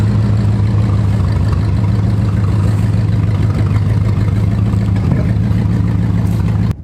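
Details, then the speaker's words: C4 Corvette V8 after exhaust removal, new O2 sensors and oil filter and fuel pump checks; heavy rumble with an uneven, lumpy beat and irregular pops. It later caught fire while driving, and ignition/Optispark work followed. Backfire and rough running, cause unknown. "between when I started for the first time I noticed the car wasn't running right although after all this modification as you can hear here was still back in"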